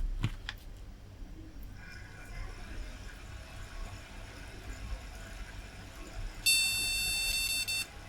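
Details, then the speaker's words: Retro AT PC with the graphics card reseated and the monitor moved to the other connector: one long high beep of just over a second and still no picture. "nope doesn't last that last one back in here well it's behaving differently I still don't have a picture though"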